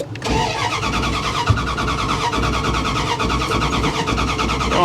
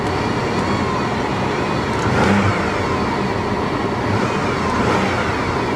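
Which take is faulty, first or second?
first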